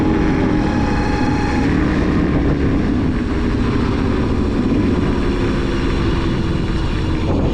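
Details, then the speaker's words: 2001 Suzuki DRZ400S single-cylinder, 11,000 miles, sat unused spring and summer, stuttering; owner suspects fuel bowl/carburetor: thump with wandering, uneven pitch instead of steady note; rough running, cause unconfirmed. "So, you guys can tell just by watching this footage you hear that the bike isn't running properly."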